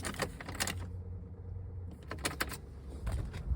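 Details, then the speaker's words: 2008 Jeep Liberty, no crank, no accessory power, no module communication: fuse-box relays chatter with sharp irregular clicks, engine off, suspected low voltage; after jumping and refitting a fuse it started, TIPM judged bad. "inspect it and now the hole hit them all the relays are um they're clicking"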